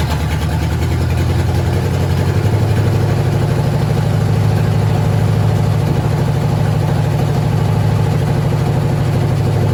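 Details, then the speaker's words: First startup of a 1996 engine-swapped squarebody truck, run briefly with no coolant: the engine catches and settles into a steady, even low idle with no knocks or misses, sounding healthy. "We don't got any coolant in, so we can't run it real long, but just enough to make me feel happy that it runs."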